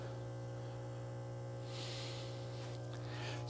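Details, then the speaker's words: Pond waterfall pump at spring start-up after winter dormancy: steady low mains hum with no spin-up or water flow, motor buzzing in place; rotor shaft stuck. "Sometimes that shaft gets kind of stuck. Let me see if I can turn it."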